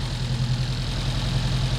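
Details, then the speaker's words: Volvo 145 idling after new fuel pump fitted: low throb with uneven, lumpy pulse and small stumbles; air-fuel ratio fine at 3000 rpm but far too lean at idle, fuel pressure present; rough idle from lean mixture, tuning still needed. "oh yes so when i have about 3000 rpm the air fuel ratio is okay but on the idle it's way too lean but the pump"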